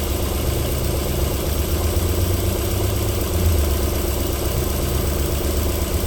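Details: 1994 Alfa Romeo 3.0 24v QV V6, cold start-up idle with a deep, steady low rumble, even beat and no tapping or knocking; a normal cold idle.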